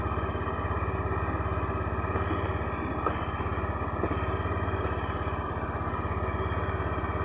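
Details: Honda Beat injection scooter, rough-starter type: quick, even putter at steady idle with no misses, knocks or rattles; normal idle.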